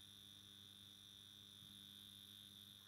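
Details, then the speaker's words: Circa-1960 fluorescent batten fixture, cleaned and running on its original gear: faint steady mains hum with a thin high whine from the original magnetic ballast; normal operation, no insulation fault. "Donc là, on a le ballast. On l'entend. Vous pouvez, enfin non, je sais pas si vous l'entendez. Si vous l'entendez."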